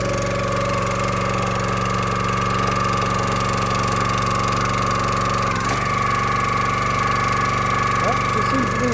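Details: Log splitter, small engine, after maintenance having sat about 4 years, revved up: even hum dipping briefly as the hydraulic ram takes load then recovering cleanly, no misses or knocks; normal running under load.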